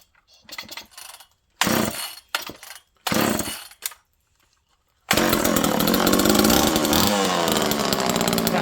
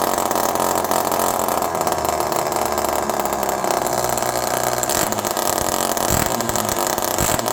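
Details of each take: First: Second old Homelite Super Mini chainsaw in cold weather, jets around half to 1 turn, no choke. After a few pull-start bursts it catches and holds a steady, even high buzz; it runs perfectly. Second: Homelite Super Mini chainsaw in cold weather, low jet about 1.5 turns out: it screams at a high, steady rev and won't drop back to idle. Hanging high idle; an air leak is suspected but unconfirmed.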